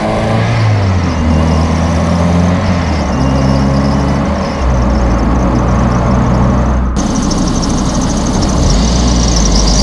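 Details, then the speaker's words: 1995 Toyota Corolla wagon, 1.8L 4-cylinder, daily driven: engine running with a steady droning hum and faint rough whir changing with revs; alternator bearings going bad. "As you heard, it didn't sound that great. The bearings in it are going bad."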